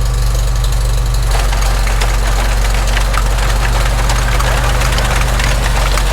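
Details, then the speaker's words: Farmall Super M tractor with retrofitted IH sickle mower on its original belt, first test: heavy steady low throb, then fast light clatter as the mower engages; runs smoothly, no knocks or strain. "Sounds like it'll work. Well, nothing's blown up, so let's head out to the field, give it a test."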